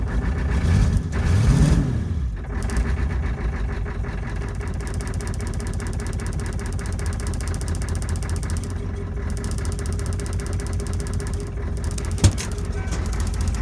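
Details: Ford 6.9 IDI diesel, cold start with new glow plugs, first start after bypassing the glow plug controller: starter cranks about two seconds, catches and settles into a steady, even diesel idle clatter; normal cold start.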